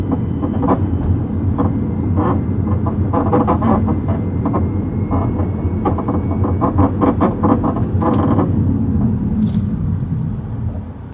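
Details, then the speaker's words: Tesla Model 3 about two years old, recorded outside while driving over bumps: irregular light clunks and rattles through road rumble; worn front upper control arm. "You guys, it sounds bad on the inside. Take a listen to the outside. It sounds almost even worse."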